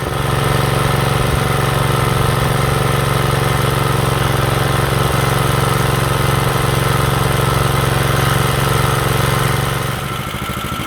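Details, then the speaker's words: Rebuilt Kohler K91 single-cylinder engine, a three-into-one project, at low idle after the carburetor float was corrected and re-bolted: a steady, even low thrum with no knocks, misses or surging. Engine runs great with no apparent issues. "when you have a carburetor uh semi-ass set up right this is what you get uh engine runs great no apparent issues"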